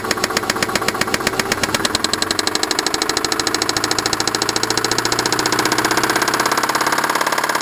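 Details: Subaru engine idling: sharp, regular, unusually loud metallic knocking about ten a second, thought to be more than normal piston slap; engine knock at idle.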